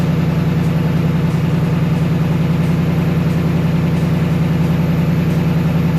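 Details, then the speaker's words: 2024 Mustang GT PP V8 just after installing a K&N cold air intake: deep, steady idle burble with an even pulse of about three and a half per second, no misses or knocks; normal V8 idle. "Definitely hear them. I think what it does really is it just cleans up the airflow to a more smoother route."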